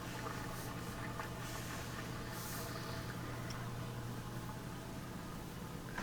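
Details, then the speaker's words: Affinity washer that wouldn't drain, reassembled after debris was cleared, on spin: steady low drain pump hum under light watery gurgle and swish, no grinding or rattle; draining normally. "have it set for spin and we can hear it gurgling really good back there that's how it should"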